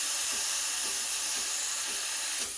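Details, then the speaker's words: Breville Barista Express BES870 steam wand: loud, steady, even hiss that builds to and holds full pressure with no sputter or gurgle; purging cleanly, machine returns to coffee mode about five seconds after steam off. "there we go that's full pressure so i'm gonna turn it off the machine will give you about five seconds after you turn off the steam before it cools down and goes back to coffee mode"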